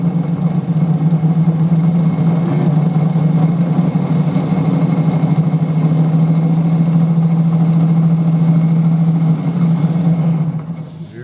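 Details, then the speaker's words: Wood lathe turning a 300 mm x 95 mm bowl blank of two glued pieces, steady rest fitted: loud steady droning hum with rough throbbing undertone at moderate speed; turner won't go faster, lathe near its vibration limit. "ce n'est pas très rapide mais vous avez vous entendez le bruit je veux pas aller plus vite que son tout le moins lorsque je serai plus profond"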